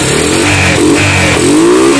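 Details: Carbureted motorcycle that used to die when throttled, after refitting parts: clean repeated throttle blips rising and falling smoothly without stumbling or stalling; the engine now revs freely, normal.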